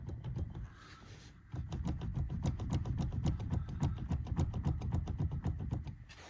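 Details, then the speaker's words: 2018 Ford Kuga ST-Line Cat N repair, steering rack reconnected after body shop, rack bar pushed by hand: regular dry clicks about three or four a second as the bar moves; steering rack is notchy. "the other thing as well is that this bar is really notchy and I mean it sounds absolutely you hear"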